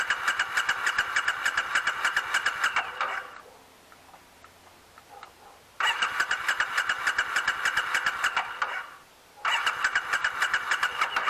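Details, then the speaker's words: 2006 Triumph Scrambler, out of storage since 2017, after reinstalling the carburetors. Quick, even cranking in bursts of about three seconds with no catch. The carbs have fuel, but it won't fire even with ether sprayed in; crank, no start. "the carbs have fuel in them um it's just not firing sprayed some ether into it still no fire"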